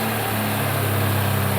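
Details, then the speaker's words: Mk1 Ford Capri with a 2.0 Pinto engine, started with fuel primed into the carb to check timing: a smooth, even idle with a steady low hum and no knocks or ticks. Healthy running. "Ooh. And that, ladies and gentlemen, is why I love Pintos."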